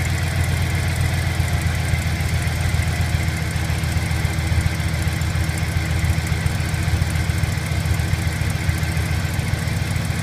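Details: 2008 Silverado V8 at cold start, recorded near the right catalytic converter: light, fairly quick ticking of a few per second over the idle at low rpm, from the left side under the accelerator; source unclear.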